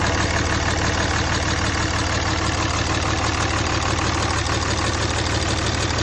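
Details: Replacement short block in a 2003 Cummins 5.9 diesel, a 3500 single-cab dually 6-speed reportedly run out of oil, freshly test-fired: even low clatter at idle around three beats a second, no misses or odd knocks; healthy.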